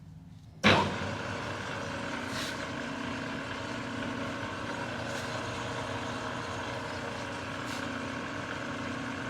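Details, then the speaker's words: New Precision Matthews PM-1660TL lathe, first run before break-in, headstock in low range gear 3 at 70 rpm: low even gear hum with faint tick every couple of seconds, no grinding or clatter; normal gear noise. "so far it's sounding pretty uh pretty even with each gear"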